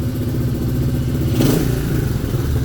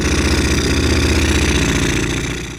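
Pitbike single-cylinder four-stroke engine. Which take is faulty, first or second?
second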